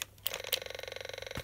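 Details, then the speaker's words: Robosapien toy robot with new batteries: fast even ticking about twenty per second with sharper clicks, hissing; robot ignores remote though eyes light up; owner thinks it's dead, cause unknown. "yeah they're salable but if they work this one it's got new batteries in but if I turn him on he makes either that hissing"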